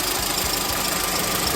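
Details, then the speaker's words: VW Saveiro G5 after head gasket replacement, which had caused a two-cylinder misfire and engine noise: steady, even idle at 90 °C with soft regular pulses under some hiss, no misfire or knock. "agora está funcionando bonitinho finalizado o carro galera"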